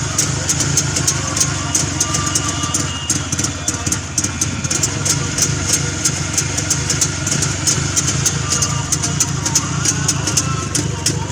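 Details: Freshly rebuilt Jawa 350 two-stroke, original sound: crisp, even idle with a steady ring-ding beat and light tappy ticks on top; normal healthy idle.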